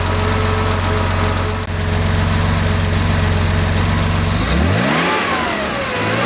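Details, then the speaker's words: Rebuilt Porsche 2.7 L CIS-injected engine, before decel valve adjustment: high rev held, then snaps down to idle with a brief sag as the throttle plate snaps closed, returning too fast; decel valve needs adjusting. "now when i wrap the engine it's returning to idle a little bit too fast so i want to slow that down"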